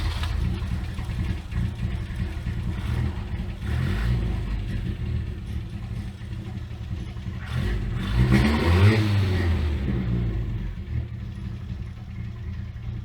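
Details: Abandoned Toyota AE86 after carburettor reset to known specs (primary main jet had not been flowing fuel), new spark plugs: engine fires, holds steady low rumble, revs up and settles back cleanly without stumbling.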